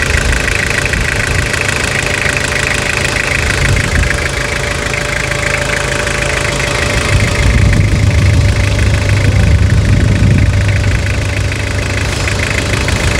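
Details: Restored 1992–2001 Toyota Hilux diesel, about 300,000 km, first start after full restoration: steady even idle with regular light clatter and constant speed, no misses or knocks; engine runs healthy.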